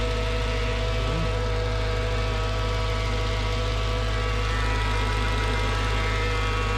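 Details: Mercedes CLS55 AMG M113K supercharged V8 after billet UPD idler pulley replacement (was squealing): loud steady drone with fast even whir at idle, unchanged after warm-up; owner suspects supercharger or long sit in cold, not pulleys; persistent loud noise.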